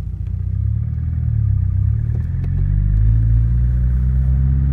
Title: New engine piston slap